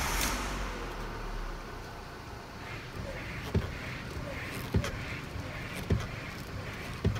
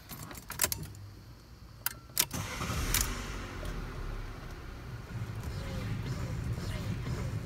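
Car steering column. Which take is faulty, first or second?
first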